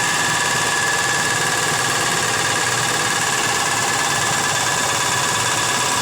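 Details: Nissan Z32 engine after engine work; a slight tick afterward quieted, now louder: fast, uneven metallic ticking over a bright engine hum, about three or four a second; owner unsure if rod knock or bad lifters.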